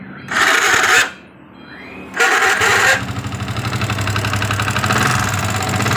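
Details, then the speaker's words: Yamaha Vixion (new model) brought in for a rough noise, started before teardown: two harsh whirring cranking bursts, then it catches and idles. Possible causes named are the starter dynamo or the one-way clutch. "jadi ini ada beberapa kemungkinan yang bunyi hai pertama dari dinamo itu sendiri waktu double elektrik itu dinyalain itu juga bisa bunyi"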